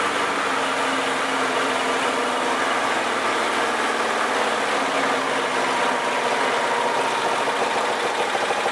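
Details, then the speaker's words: Old 4 HP Briggs & Stratton lawnmower engine after carburetor cleaning and reinstall (it had loped at full throttle, suspected plugged mid-circuit); low, steady, even idle with no surging or stumbling, running good now. "But anyway, running good now. Set for another 20 years."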